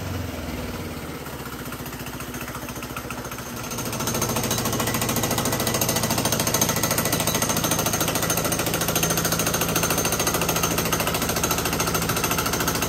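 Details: GX200 Honda-clone single-cylinder go-kart engine converted to hydrogen, running 100% hydrogen without water injection: hard, rapid beat with harsh clattery edge, no let-up; rough running, owner says intake valve would overheat on pure hydrogen.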